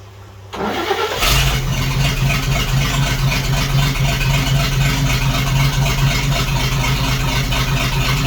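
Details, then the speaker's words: 1941 GMC one-ton pickup, 230ci straight six, first start in 15–20 years: cranks, catches within a second, settles into a steady, even idle with no missing cylinder; runs healthy. "[Music] that's good stuff [Music] don't sound like there's one cylinder missing"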